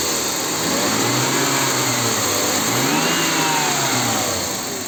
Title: BMW E39 M52B28 Making Ticking Noise